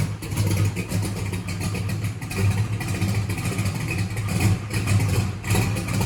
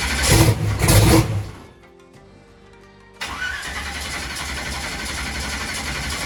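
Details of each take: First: Holley EFI drag race car after a TPS auto-set and throttle position sensor fix: engine catches and keeps running with a deep, steady beat and light throttle blips; fuel pump fine. Normal running. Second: Holley EFI drag race car, no-start: a steady four-second cranking whir that never fires. Fuel pressure was low while cranking, and the throttle position sensor was found unplugged.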